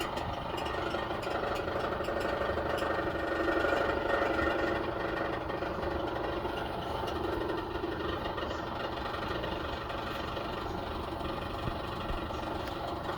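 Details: Maytag Maxima dryer running: a steady low drum rumble with a regular knock about four times a second; abnormal mechanical dryer noise, source not identified.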